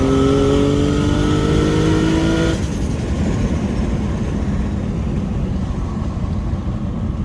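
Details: RB20 two-litre six with HX35 turbo, after fixing exhaust leaks at the wastegate flanges; wide-open throttle from 3500 rpm, boost 3 to 19 psi over 1500 rpm: hard pull, rising note and whistle cutting off, then steady roar; normal spool, still laggy.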